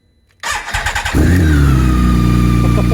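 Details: 2019 BMW K1600GT motorcycle, 20,430 miles, cold start after sitting almost 5 months over a Minnesota winter on battery tender, no fuel stabilizer: brief starter whir, catches within a second, smooth even idle with no misses; healthy start.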